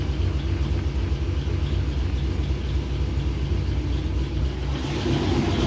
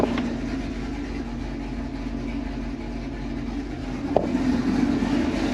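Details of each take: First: Supercharged V8 idling with oil pressure good, a light, fairly regular tick about four per second over the rumble, seeming to come from the top end; rockers checked smooth, owner guesses a lifter closing, cause unconfirmed. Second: Z28 Camaro with stock LS7 V8 plus injectors, E85 and long-tube headers, before cam and cylinder head swap. Steady deep lumpy idle with even beat, brief blip near end; healthy idle.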